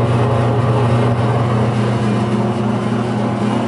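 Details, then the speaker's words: Hobart MG2032 mixer grinder, 8.5 hp three-phase motor, one owner, running mix and grind: steady even motor hum with smooth low gear drone, no knocks or grinding; runs very smooth and healthy. "so there it is running very smooth yeah we're good"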